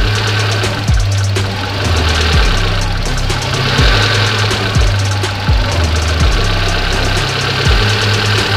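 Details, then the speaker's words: Fuel-injected car with ISC idle control (tagged Hyundai), warm engine, ISC deliberately set too low: idle rises and falls about once a second and never settles; idle hunting from idle speed set too low. "ini kecil terlalu kecil ya naik turun naik turun naik turun"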